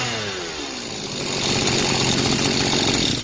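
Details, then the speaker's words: Mitsubishi gas-powered brush cutter engine, overhauled after running short of engine oil, new spark plug fitted, first start after repair: revs up cleanly, holds a steady high buzz, then drops back; normal idle and throttle response. "Güzel devreye girdi. Rölanti hızının korunduğundan ve gaz pedalı yanıtının düzgün çalıştığından emin olun Motor yanıtının iyi çalışması önemlidir."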